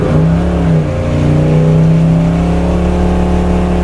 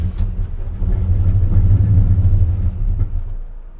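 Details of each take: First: 1978 Chevy C10, 383 crate V8 of about 430–450 hp with self-tuning fuel injection, after trimming the MAP seal that heat expansion had made block the sensor hole: loud, steady V8 roar at wide-open throttle during burnouts with no stumble; runs well. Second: 1978 Chevy C10 with a 383 crate V8 on self-tuning fuel injection, while driving: a deep, lumpy rumble that surges unevenly, then sags as if about to die. The engine reads running lean and has been hard to start.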